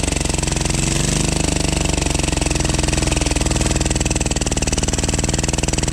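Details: 12 HP air-cooled single-cylinder diesel, test run after overhaul; it had run once and then become hard to turn (owner suspected piston), valve clearance reset and oil added. Steady chug with even firing and no knocks or rattles. Normal running.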